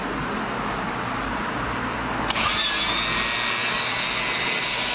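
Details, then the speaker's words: MerCruiser V6 boat engine, power trim powered by a hooked-up battery despite a loose connection: after a click, a steady high electric whine without stumbling; trim motor works, driving down. "but i did hook a battery up and the trim does work you can hear it"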